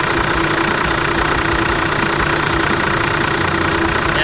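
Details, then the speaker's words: Toyota Land Cruiser 80 Series 1HDT turbo diesel at very soft idle after alternator replacement, low steady idle with even clatter, no squeal, whine or knock; charging 13.1 V; broken muffler may vibrate. "Not making any sounds anymore, which is great. It sounds so much nicer already."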